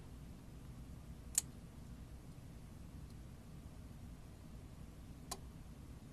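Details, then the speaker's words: Faulty 30V 5A variable DC power supply now only reaching about 5.6 V; relay switches voltage modes: two sharp relay clicks about four seconds apart over a quiet hum on connecting, 0 to 11 V; cause unclear, owner suspects control signal not switching modes. "And like whenever I connect this up, you can hear that the relay clicks because it goes from 0 volts to 11."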